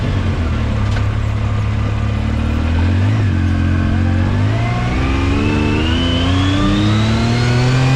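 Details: 2019 Yamaha YXZ1000R SS side-by-side, 5-speed paddle-shift gearbox, neighborhood drive: deep engine drone with a clear whine climbing in pitch as speed builds through each gear; normal gearbox whine.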